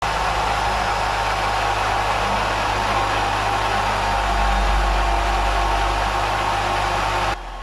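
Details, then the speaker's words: 2006 Nissan Altima at idle: rough, rattly whir at about four beats a second from a serpentine-belt-driven accessory, likely a worn bearing. Component not yet pinpointed; to be traced with an electronic stethoscope. "What you've been listening to for the past minute or so has been a racket that is coming from one of the components driven by the serpentine belt on this 2006 Nissan Altima."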